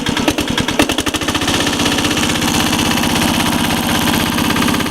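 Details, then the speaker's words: 1983 Case 446 tractor repowered with Lombardini 6LD 435 mechanical diesel, no block heater, engine still cold at about 53°F, smoking a little: steady, even diesel clatter at fast idle, no misses or knocks; normal cold idle. "So I'm going to start it up. Engine still is cold. It's smoking a little bit."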